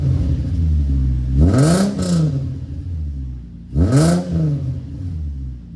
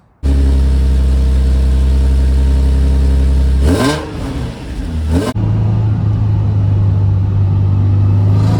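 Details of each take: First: VQ-swapped Nissan S13 240SX with stock headers, no cats, 2.5-inch glass packs into a 3-inch Y-pipe and a muffler with no silencer: two sharp revs to a raspy droning bark, then loud rumbling idle; annoyingly loud. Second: VQ-swapped Nissan S13 240SX with CD transmission, stock headers and no cats, after new exhaust piping was tied into the existing system to quiet it: revs blip then settle to a deep, smooth idle, with a full, even note and no drone or rasp.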